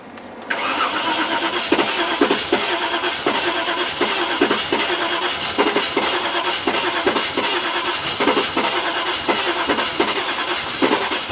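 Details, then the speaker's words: Range Rover project, chilly day, ECU fed by a wire straight from the battery; it previously cranked with fuel flowing but wouldn't fire. Steady cranking with uneven puffs every half to one second, never catching: crank no-start; owner suspects flooded plugs. "it's trying isn't it now have i flooded the plugs that sounds interesting really interesting"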